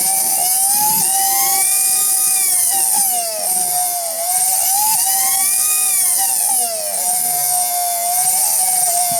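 A loud, piercing howl that keeps sliding up and down in pitch over the motor's hum: worn-out bearings.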